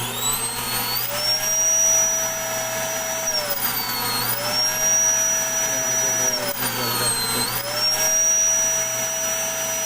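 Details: Vacuum cleaner that wouldn't switch on, running again after opening it, checking the wiring and re-tensioning the cable-rewind reel spring. A steady high motor whine, its pitch gently rising and falling as the hose moves, running smoothly.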